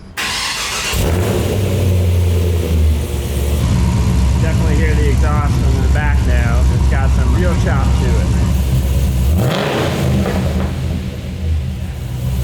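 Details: Supercharged LS3-swapped 1962 Chevy C10 after fitting twin 360 LPH fuel pumps and new X-pipe exhaust: cranks, catches, settles into a deep choppy V8 idle, then revs cleanly; sounds healthy.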